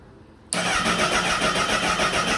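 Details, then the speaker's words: 2008 Honda CBR1000RR, first start attempt with vacuum lines disconnected: the starter spins steadily for about two seconds and the engine never catches, a crank-no-start later suspected to come from an unplugged tilt sensor. "well it looks like we have a crank but no start situation"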